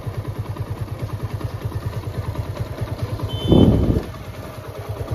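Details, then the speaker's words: TVS Apache RTR 160 BS4 bike at idle after engine rebuild: even low putter with one short blip, the earlier rattling knock (worse off-throttle, with white smoke) fully gone; engine sounds healthy. "कितना मस्त कितना बेहतरीन sound आई है engine की जरा से भी कोई वो खटखट वाली आवाज नहीं रहा"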